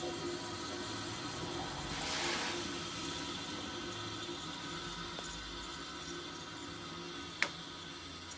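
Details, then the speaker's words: Late-1960s Sears Coldspot 6,000 BTU small-chassis window air conditioner after the compressor stops: quiet gurgle and hiss of refrigerant winding down, no knocks or rattles; normal, better than the other unit. "listen to that wind down. The sound's a lot better on this one as far as the refrigerant winding down."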